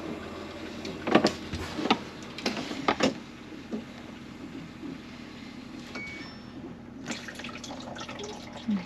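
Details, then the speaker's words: RV ice maker test run during winterizing: a few soft clunks and mechanism thumps as the ejector moves, then a quiet trickle as clear water dumps into the ice bucket; ice maker cycling normally. "what it's doing is making uh ice um dispenser move right yeah and then I'll keep an eye on it clear water's coming out I'll run it again this time water will dump into the eye ice bucket Let It Go and it'll kick back up we can definitely hear it too"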